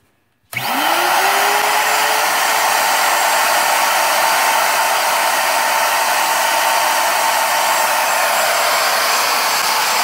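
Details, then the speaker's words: Porter Cable router rated 23,000 RPM, standing upright as if mounted as CNC spindle, recorded at table edge: loud whine spins up and holds full speed, about 95 dB on meter; normal running. "95 and A2 at this distance. And I'm sure it's hard for you to hear me. It's hard for me to hear myself."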